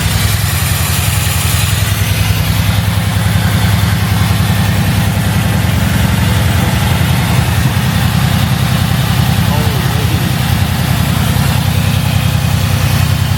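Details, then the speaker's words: Mercedes-AMG C63S (W205) build at idle: uneven thumping pulses about two and a half per second with slight shake; intake air leak at the front suspected of causing misfire. "So, firstly, a leak in the air intake system. You can actually hear that. So, that it's running at the front, which will definitely cause a misfire."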